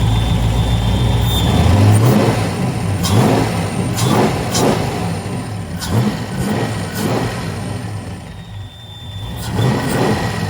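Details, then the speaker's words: Nitrous Mustang V8 after head repair following melted spark plugs: light ticking rides over the engine as it revs and settles, following engine speed. Loose valve lash in the valve train suspected; lash to be rechecked. "away and there's definitely something that's a little noisy in there maybe the valve train may have to check the valve lash once more and just double check it but something's making some noise I don't like it"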